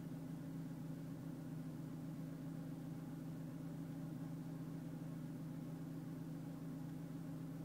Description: Secondary air pump problem, rpm dropping, vibrations and shakings furing SAP is working